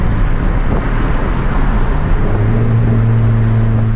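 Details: Turbo Honda Civic with fresh built D16 single cam on road test after ignition fixes: steady low drone pulling smoothly under load; no longer cutting out at any rpm, though logged rpm still scattered.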